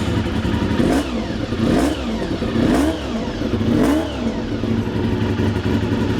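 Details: Motorcycle started on a battery booster in the shop: crisp repeated blips, revs rising and falling cleanly about once a second, no clatter or misfire; healthy engine.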